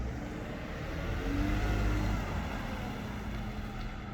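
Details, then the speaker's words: 2001 Lexus IS300 road test after brake pad replacement, old pads were loud: rolls and slows with only tire and engine noise, no squeal or scraping; new brakes quiet and normal. "absolutely no squeak completely take the [ __ ] down there's no squeak whatsoever on these brakes"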